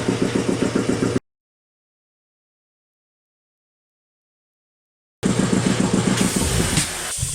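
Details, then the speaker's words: Healthy compressor pump started from 0 PSI and run to cutout (about 160 PSI): steady, even intake thumping of about 3–4 beats per second from the air filters. No crank knocking, so the connecting-rod bearing inserts are in perfect condition. "now the thumping sound you hear when this started up was consistent the whole way through and that is actually the sound from the air filters it's the sound of the pump uh sucking in pulses that's not a knocking sound from the crank"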